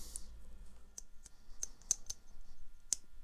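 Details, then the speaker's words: 1980 Sharp GF-508 (GF-9696) boombox switch after cleaning and a touch of grease at center point; crisp dry clicks with no squeak, previously squeaky switch now settled; normal switch click. "strangely enough that one that I said was squeaky is now okay so it's probably just settled down a bit"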